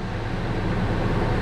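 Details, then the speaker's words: 1999 Ford F250 6.8 V10 just restarted after a spark plug hole re-tap: deep, uneven, shaky idle, as if missing. Suspected misfire from loose injector plugs with broken tabs, or a needed tune-up; cause unconfirmed. "so we might have a misfire just because they're a little shaky i checked the uh i checked the injectors i think it needs a tune-up"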